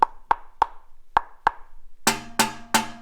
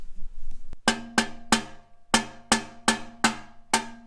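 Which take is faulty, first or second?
first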